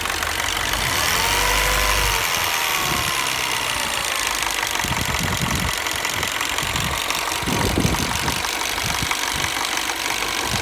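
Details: 2008 R56 Mini Cooper S after a new timing chain, at warm idle; a light, uneven tick-knock comes and goes. It sounds fine when cold and makes no noise when accelerating, and the cause is unclear.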